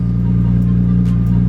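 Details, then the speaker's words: Lexus IS300 after fix: deep, steady, even firing with no stumble; cylinder 3 misfire and throttle body codes traced to water leaking into the cylinder, cleaned out, check engine light gone, running smooth while warming up. "I think I fixed it no more check engine light cars running good no more misfire there's a bunch of water in the cylinder and fixed it"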